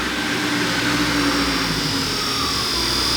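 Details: John Deere 4450 tractor AC blower motor running after being cleaned up and polished with sandpaper, judged fixed. Steady even whirr with a clean high hum, no scraping or stutter: normal blower motor run.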